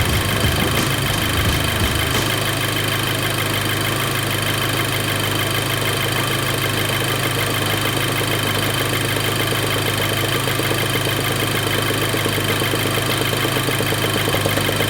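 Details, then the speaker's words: VW Golf GTI coming off cold start, steady idle with a faint continuous hiss as air is sucked into the purge valve port, stopping when the port is covered by a finger; purge valve judged to be working as it should. "Oh, you know what? You can actually hear it. Okay, you can hear it trying to suck air in. And when I put my finger over it, it stops."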